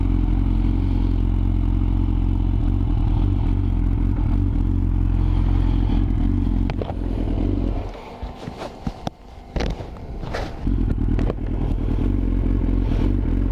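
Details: Yamaha R6 motorcycle misfiring at low RPM, stumbling with uneven popping and brief dropouts; cause was ignition coils not pressed fully home, fixed by pressing them down hard, after which it ran perfectly.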